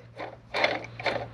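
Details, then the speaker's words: Nissan 300ZX Z32 twin-turbo being checked for a coolant leak: the loose water pump pulley, spun by hand, gives short gritty, uneven grinding bursts each turn, showing a worn water pump bearing as the leak source; the pump is being replaced. "that thing is done yep no bueno okay so anyway long story short new water pump"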